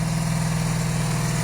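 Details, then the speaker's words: 1982-83 Honda V45 Sabre cafe racer, started without choke after won't-start debugging (compression and spark tested): even, steady low idle with no stumbles, firing on all 4 cylinders without adjustments, engine getting hot. Normal idle. "Now, I did let it run a little bit longer before, and it does seem to be firing on all 4 cylinders. So that's great without any adjustments."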